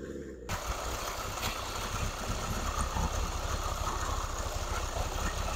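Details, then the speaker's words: Rebuilt 600hp Nissan SR20DET, running after four years: catches and settles into steady low even idle, no hunting or knocking, after slight throttle chamber adjustment to raise idle; TPS recalibration and fuel trim still planned. "so that's after we did a slight throttle um throttle chamber adjustment to bring the idle up uh to clean it up a little bit"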